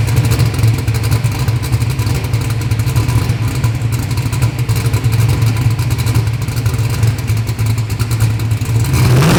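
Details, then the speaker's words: Bad Apple V8 drag car on a hub dyno for a baseline pull: loud V8 drones low and strains under load, revs climbing only near the end; good-running motor but the snug torque converter is too tight. "but hey converter i think it's a little bit too tight don't you think it's a little snug little snug converter"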